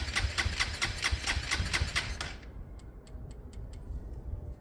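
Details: Motorcycle with Hanway carburettor conversion and all computer systems disconnected, unchoked, spark uncertain: about four even crank strokes a second for two seconds, no firing, then it stops. Cranks but won't start.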